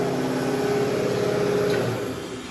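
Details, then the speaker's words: Used Hydrovane VSD air compressor at pressure, on temporary setup pending new transducer: steady motor hum and whine fade as it drops to low speed; normal unloading. "it's up to pressure so it won't build any more air oh it may build a little bit it doesn't sound like it's unloaded yet"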